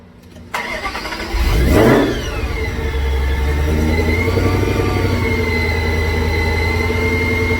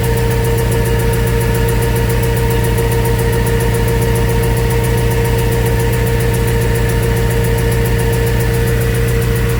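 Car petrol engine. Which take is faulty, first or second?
second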